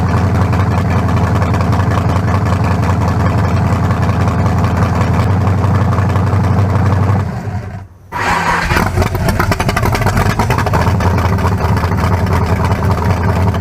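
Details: 1974 Nova's new low-compression turbo small block (40-over, 3.48 stroke, forged pistons; replaces a cracked-cylinder-wall 388): deep, even idle that dips briefly then settles smooth, no knocks or ticks, sounding better than the 388. Normal idle.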